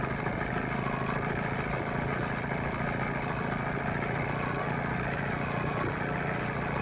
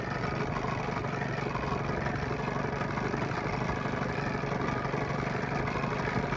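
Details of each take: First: 9.9–15 hp Evinrude/Johnson two-stroke outboard after fuel pump and carburetor rebuild, during low-speed idle mixture screw adjustment; previously rough, now a steady even idle with no stumbles, smoothed out considerably. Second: Evinrude/Johnson 9.9–15 hp outboard after fuel pump and carburetor rebuild, setting low-speed idle screw at lowest throttle: uneven lumpy idle about four pulses a second that smooths considerably once the mixture screw is turned back; rough idle from incorrect low-speed mixture.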